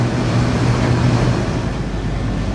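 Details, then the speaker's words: Corn head after checking row gearbox oil and adjusting the chains, sped up; steady even mechanical rush with no knocks, squeals or rattles, no chain slop; normal running. "So yeah, none of the chains have any slop. Nothing's making any noise, so until I nose it in the cornfield, as far as I know, it's working fine."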